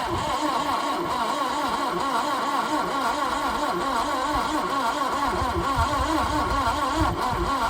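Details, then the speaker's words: 1988 Subaru Brat/Brumby cranked with brake clean added: a steady starter churn at about four even beats a second that never fires. The owner suspects spark, low compression or a head gasket; testing later found compression low. "Let's just check another spark plug, make sure that's firing, and we'll see what we get. Otherwise it could be down on compression, could have a head gasket."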